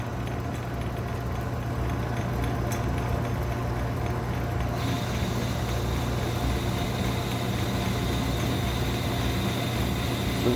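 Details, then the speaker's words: Home shop lathe cutting internal thread with homemade O1 tool steel threading tool, oiled, conservative cut producing dust-like chips: steady motor hum, even soft cutting rasp, no chatter or squeal; normal cut. "sounds like it's cutting nice. What kind of chips we're getting out of there?"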